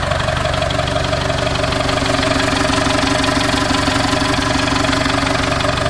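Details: TDI diesel project vehicle, first start after sitting 4–5 years in an exposed barn; cranked first to circulate oil, then fuel pump plugged in. Fired straight up: steady, even clatter about three beats a second, no misses or knocks, normal healthy idle.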